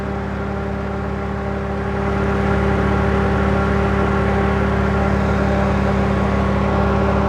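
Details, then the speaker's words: 2012 Camaro rebuild project on next-day test run after radiator repair and antifreeze refill, heater hoses hot but no cabin heat (owner suspects blend door): a steady engine hum, then a smooth whir as the electric radiator fans kick on; healthy. "Fans are kicking it."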